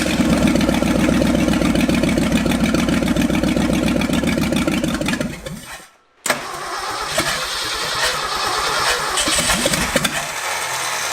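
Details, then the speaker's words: Ford F250 truck sitting 26 years, with a port on the carburetor base plugged: runs better but lumpy, sags and dies after about five seconds, then restarts; still won't idle without choke, carburetor idle circuit suspected. "well it runs a lot better but so once choked to live so carburetors come out"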